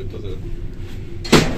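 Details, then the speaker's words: Fast 3.5 m/s lift in very bad condition in a dilapidated building under refurbishment: a low hum of the moving car broken by one sharp metallic bang as the door rollers slam; the rollers keep banging. "ondition and it keeps banging the door rollers this lift goes 3.5 m a [Music] second"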